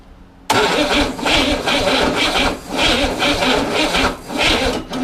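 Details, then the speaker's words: 1961 Corvair air-cooled engine on a bench, sat 20 years, partly refurbished, after plug wires reordered: labored uneven cranking, slow surges about once a second, no catch; suspected weak battery feed. "i think you need more battery power uh is it just me or is that engine having a good compression"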